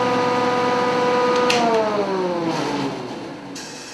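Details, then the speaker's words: A newly assembled Grizzly G0654 6-inch jointer is switched on without the dust collector. Its quiet, smooth motor hum whine falls evenly as it coasts down, with no knock or rattle: healthy running. "okay it is really super quiet I'm just gonna turn it on here without the dust collector"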